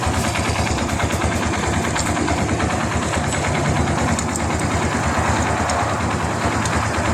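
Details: Barako 2 motorcycle after fitting the cam chain tensioner, tensioner stopper released before tightening bolts: steady single-cylinder idle with even beat, no chain rattle; idles normally.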